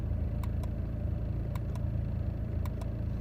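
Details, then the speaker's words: 2009 BMW 123d E87, engine idling, driver's window switch pressed: sharp paired clicks about once a second from the door with no motor whirr; window won't open or close. "so when you try to open or close the driver's uh window obviously you can't open it okay I already told it doesn't open so you can hear the click somewhere in there"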